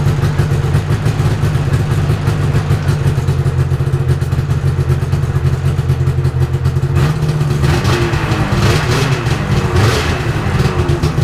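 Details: 1997 Yamaha VMax SX 600 snowmobile after starter replacement and clearing oil from fuel lines and carburetor: steady two-stroke idle with crisp even rhythm and a few light throttle blips; runs clean and smooth.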